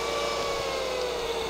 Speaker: let's put some heat to this thermocouple this is 100 degrees celsius and then it comes on full speed